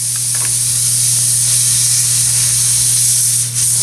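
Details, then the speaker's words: Tire on axle with a puncture, before plugging: steady high hiss of air rushing out over a low hum; tire puncture air leak. "it's a darn shame when like somebody comes along and does this so air leak and we need to fix that"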